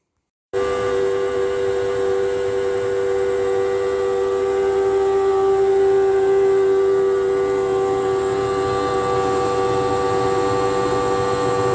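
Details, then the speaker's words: Hotpoint NTM1192SKUK tumble dryer, side panel off, drain pump at bottom left: loud steady tonal whine with high-pitched edge and no water sound; faulty pump noisy when pumping dry, fixed by replacing the pump. "this one here I think develops a little bit of a fault so it's incredibly noisy when it gets uh to pump but it hasn't got any water to pump out it's pumping dry"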